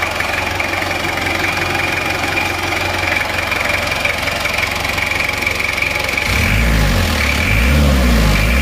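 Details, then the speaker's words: Diesel after engine overhaul with NPR piston rings and liners, power steering pump repaired; steady even diesel clatter at idle with no misses or heavy knock, no smoke; normal diesel idle. "untuk suaranya seperti ini [Musik] teman-teman suaranya bersih ya"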